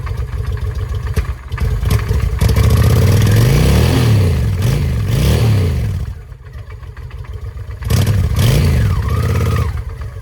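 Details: 2007 Honda Shadow V-twin after clutch replacement, previously knocking and seized while running: revs in bursts with loose rattling clatter following engine speed; still sounds bad, cause unknown.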